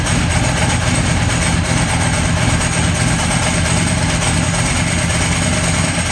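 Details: Ducati 998 Testastretta V-twin after inspection service (coolant, radiator, throttle bodies, diagnostic tester, faults cleared): deep even idle with steady lumpy beat and light dry clutch chatter; engine healthy.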